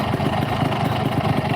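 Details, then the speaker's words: Yamaha RX King two-stroke that received about 16 million rupiah of engine work and exhaust, brought in with no power for climbing hills: an uneven, lumpy idle with no crisp firing rhythm; it runs rough, cause not yet found. "Kenapa motor Ini dibawa ke sini alasannya satu tenaganya nggak ada buat nanjak lemes banget loyo enggak ada lari"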